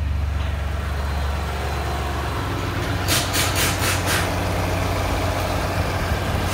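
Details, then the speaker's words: New 2018 Ford Expedition 3.5L EcoBoost, 6,000 miles, in for its first oil change, heard from underneath at idle: steady rumble with an irregular rattling and clanking that may be an exhaust leak; the engine does not sound healthy. "if you listen also underneath Nomos sounds like it hasn't exhaust leak I don't know if you can hear that but some kind of rattling and clanking noise on a brand new vehicle"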